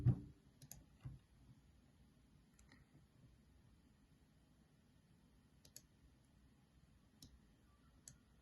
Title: Arctic Freezer VRM fan makes strange noise, and always work at 100%